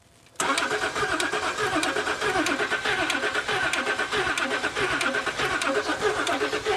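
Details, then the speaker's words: L320 Range Rover Sport non-runner, cranking on jump pack: slow uneven starter beat with a light tap riding on it and some smoke, never catches; tapping source unconfirmed; tapping while cranking. "A bit of a tap there."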